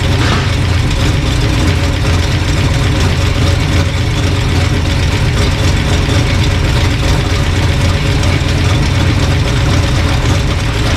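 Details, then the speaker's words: Old engine after sorting a bad distributor, timing being dialed in with timing light: steady, even low rumble with no misses or knocks; normal idle. "My timing's not working, but I think was my problem all along. Dial in. Sounds pretty good now."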